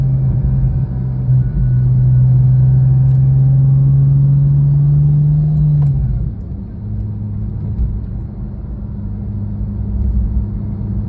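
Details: Porsche 997.1 Turbo engine running with a steady low whir from a worn idler pulley bearing, specifically the pulley just below the A/C compressor.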